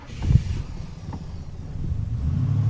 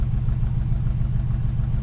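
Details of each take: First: 1936 Plymouth Roadster at pre-purchase inspection, earlier took several attempts to start, possible carburetor issues to be fixed before delivery: starter cranks slowly, then catches into a low steady rumble; fired better than when cold, when it spat and barely idled. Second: 1936 Plymouth Roadster at idle during a pre-purchase inspection, temp gauge starting to climb: steady, even exhaust pulse with a deep mellow note and no pops or backfires; normal idle.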